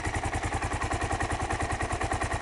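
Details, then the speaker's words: 2001 Kawasaki KLR 650 single idling after a cold start, choke off: even, steady thump of about ten pulses a second, no knock or misfire. Owner says no problems and it takes no oil; normal idle. "Sounds very good. No problem with it. Takes no oil."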